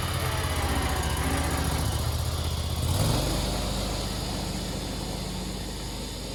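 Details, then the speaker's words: Spartan SRT-XD zero-turn mower, 37 hp Vanguard engine, test run after replacing the drive/pump belt: engine catches, settles and runs smooth and even with a steady low drone, no knocks or hunting; healthy. "guys now it's time for a test run"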